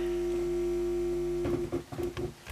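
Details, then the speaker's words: Hard-wired transistor amplifier with a loose crocodile-clip input connection: a steady low mains hum with a buzzy overtone, plus crackles when the input is touched with a finger. The circuit picks up the hum. "what you hear now when I touch it with my my finger the circuit picks up him"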